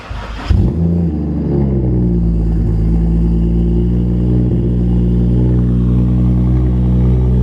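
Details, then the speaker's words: BMW 335i with big turbo upgrade, first start after a major refresh: the engine catches and settles into a loud, steady, deep idle with turbo spooling audible at idle, felt in the chest; normal cold-start idle. "The turbo's spooling at idle. It's pretty loud. I can feel it in my chest."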